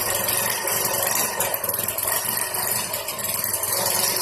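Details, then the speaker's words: Yamaha SR125 single-cylinder, laid up for years, first start after storage: fast, busy steady raised idle with rattly top end; choke still pulled out holding revs up, so push the choke in. High idle with choke on. "The choke's still out. So push the choke in."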